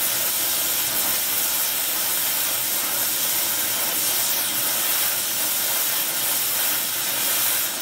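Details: Welding with a small mixer torch fed by Air Products Integra oxygen and acetylene cylinders (built-in regulators, flashback-arrestor couplings); trying to set 4 psi on a 380 psi gauge. Smooth, even roaring hiss, no popping or sputtering; normal steady flame.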